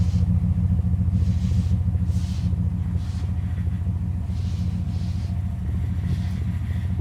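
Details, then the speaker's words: Engine idling while testing power steering, system not yet working: steady low idle with loose, irregular rattling tick about three times a second; cause unclear, a piece of plastic blocking the steering later came out. "We got some rattling going on. That ain't good."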